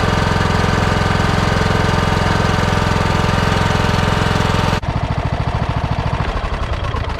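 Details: Husqvarna lawnmower after fixing carburettor fuel leak, fuel turned back on and bowl refilled: loud even rapid chugging, then softer regular beat; runs smoothly, no leaks seen.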